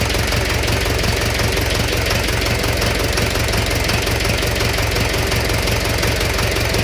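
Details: Engine knock at idle: a hard, regular knock of about three per second, loud over the steady idle note; origin unknown.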